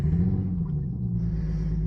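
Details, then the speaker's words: 28-year-old Lexus GS300 idling in the cold after a blizzard: low, uneven six-cylinder rumble from a misfire that began hours before the storm; code reader not yet arrived, so the cause is still undiagnosed. "Pulling it in and start taking it apart because it is misfiring."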